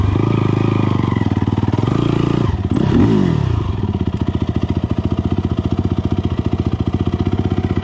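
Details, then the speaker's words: 2006 Yamaha YFZ450, fresh rebuild with 12.5:1 CP piston, hotrod crank, cam mod, 93 octane, lidless stock airbox with K&N filter, CT Racing full exhaust, hot day on trails: pulls then stumbles sharply on throttle stab, lumpy beat; bogging, owner suspects pilot jet, jetting off. "jetting is off you can hear when i uh like slam on the throttle it wants to dog out which something to do with pilot jet or something"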